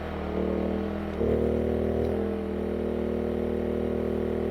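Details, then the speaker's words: Generator drone that dips and strains deeper as a stock 15,000 BTU RV air conditioner compressor starts on a small generator through a plug-in soft start. "This one, you can still hear that generator struggling more than it was with the other options that are out there."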